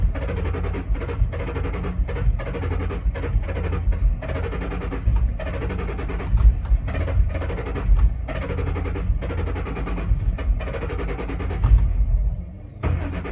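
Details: 2007 Ford Mustang Shelby GT-H, intermittent hard start, usually on cold mornings or nights, cause unknown. Long, heavy rhythmic starter chugging over ten seconds without the engine catching cleanly: hard starting, extended cranking.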